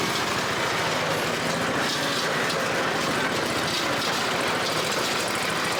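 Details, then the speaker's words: Toro Z Master 5000 mower engine: harsh, rattly, loud metallic clatter through the run, sounding like a bad knock; oil level was checked and is fine, and the source is unidentified. "Something sounds like death on this. It sounds nasty. I don't know what that is."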